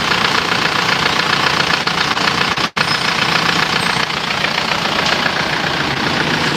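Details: Isuzu Panther diesel after an engine overhaul with reused liners, fixing white exhaust smoke: steady diesel clatter at an even idle with no odd knock or miss; sounds good, exhaust cleaner; healthy.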